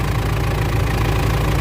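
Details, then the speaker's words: Mitsubishi L200 Triton 3.2 diesel, cold, after timing chain replacement for a noise that showed at normal operating temperature: settles into a steady, even low idle with ordinary injector clatter and no chain rattle; sounds healthy. "Olha o barulho da bruta aí, ó. Que barulho mais bonito."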